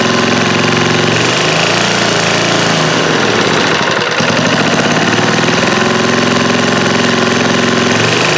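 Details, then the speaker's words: Old eBay generator small engine, suspected bad fuel pump and carburetor, governor not regulating speed: runs unevenly with a busy, hunting beat, staying alive only with the choke on. "Let's let the choke on and try again. That seemed like it kind of worked with the choke on."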